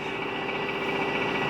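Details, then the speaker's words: 2004 Subaru Forester XS, almost 400,000 km, cold start after sitting a week at -30C: fast, uneven, clattery cold idle with steady high whine, rough and diesel-like; owner plans oil change soon. "Oh, it's whining so bad and it sounds like a diesel."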